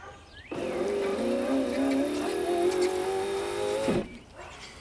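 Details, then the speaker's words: Land Rover Discovery 2 rear window that was stuck down, motor driven directly with 12 V from a battery via jumper leads to the plug; even electric whine about three and a half seconds, pitch dipping slightly under load, window goes back up. "okay so that's worked it's got the window back up"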